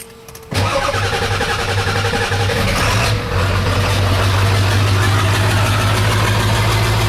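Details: 1996 Ford F350 7.3 Powerstroke diesel after electronic fuel conversion: quick crank, catches at once, settles into steady, even diesel clatter at idle; starts and runs healthy.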